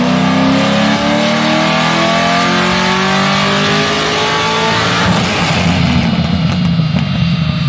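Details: 2006 Corvette Z06 on the dyno after a shop found its knock was not rod knock: a deep V8 roar climbs smoothly and evenly under full throttle for about five seconds, a healthy pull after a retune making roughly low 500s power.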